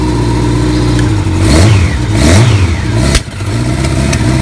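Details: 1982 Kawasaki KZ1000M CSR1000, 7,884 miles, rebuilt carbs, fresh oil, filter and plugs, cold day: crisp throttle blips rising and dropping cleanly to steady idle, no engine noise or smoke; charging 14.6 volts, normal cold rev.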